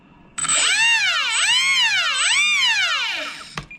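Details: Kavan Bristell B23 RC airplane electric brushless motor, throttle test after Spektrum gyro receiver setup: clean high whine swooping up and down twice with throttle, then cutting off; motor responds smoothly.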